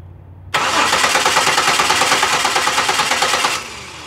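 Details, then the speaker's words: 2006 Buick Lucerne 3.8L V6 crank, no start: steady fast cranking about three turns a second, never catches; fuel pressure sufficient and holding, no spark at tester, faulty ignition control module not providing 12 V reference. "as you saw there there's no spark and with the kion engine off our voltage is pretty much zero"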